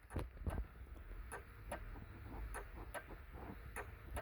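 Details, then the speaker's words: 1993 Ford Mustang Foxbody after a Terminator X swap, hazard flasher in the fuse panel working after a turn-signal wiring fix: quiet paired clicks about every 0.4 s, steady and even; normal flasher operation. "and of course when i hit the uh the flasher they work and you can hear you can hear it working"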